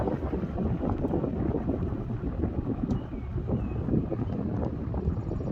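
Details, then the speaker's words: 1977 Kmart box fan after restoration, turned down to medium and then low: steady, even airy whoosh with no knocks, rattles or scraping; fan running smoothly and healthy. "Low speed's actually pretty low. Let's turn it up to medium."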